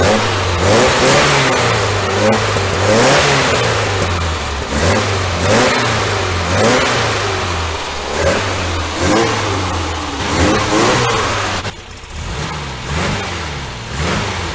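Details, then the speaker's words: 1966 VW Type 3 Fastback air-cooled flat-four, first start after new ISP West performance exhaust with header wrap, J-tubes and over-the-top muffler; repeated blips, crisp throaty exhaust, no leaks or rattles; healthy. "sounds pretty good i can smell the uh the header wrap warming up and shrinking"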